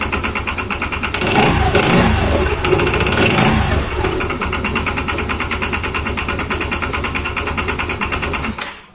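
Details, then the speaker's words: Yamaha Xeon scooter, after the one-way starter clutch was replaced: a steady idle with a coarse, rattly roughness pulsing about three times a second from the CVT side. Rough noise from the CVT; the replacement is suspected, not confirmed. "Nah, teman-teman, dengarkan seperti apa suara berisik itu. Bisakah kamu mendengar seberapa keras suara berisik di area ini?"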